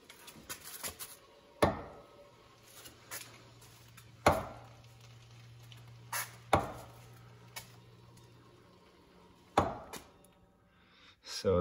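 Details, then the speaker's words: Can-Am Spyder rolled slowly or coasting with engine off: sharp single clicks every two to three seconds from front drive pulley; worn splines between pulley and engine output shaft, known issue for that pulley generation. "when uh we started to use it this year i noticed that when i was just sort of pushing the bike out of the garage or it was just coasting long slowly there was a clicking sound coming from the area of the front pulley"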